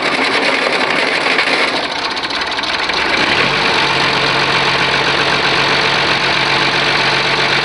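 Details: Oliver 1850 diesel tractor, genuine cold start at about 45 degrees, preheater possibly not working: it catches and settles into a steady, slightly rough idle clatter. Normal cold start and idle.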